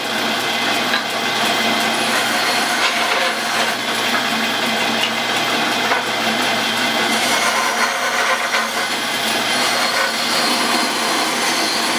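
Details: 110-year-old Crescent bandsaw after new motor mount and pulley drive with wheels aligned: steady, even hiss of blade cutting wood with no thumps; much quieter and cutting better than before.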